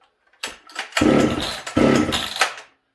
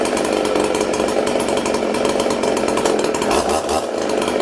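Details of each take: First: Ported Husqvarna 266SE chainsaw with HS carb, owner suspects sticking needle and seat: two short sputtering bursts that die within a second, plus pops; fires but won't keep running, owner thinks it flooded. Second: Ported Husqvarna 266SE chainsaw, chain brake on while throttled 3–4 times: screams at steady high revs, blips even with no clutch rattle or stumble, drops off cleanly; normal high revs.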